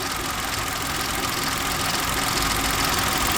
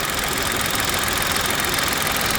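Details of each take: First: Three-injector engine idling: a fast, fairly regular light rattle over a hissy background. An earlier squeal that rose and fell with revs is gone, but the rattle remains; its source is not pinned down. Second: Three-cylinder engine at idle: smooth and steady with a light, fast, even ticking from the three injectors, which is normal; the timing chain is confirmed in place, and a separate rattle is still present.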